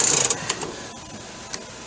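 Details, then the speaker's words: 1997 Coleman Grand Touring camper lift crank: quick burst of light ratchet clicks then scattered single clicks; roof goes up but drops by itself, so the clutch brake locking mechanism is not holding. "up, but goes down by itself. So, we can tell the locking mechanism is not working."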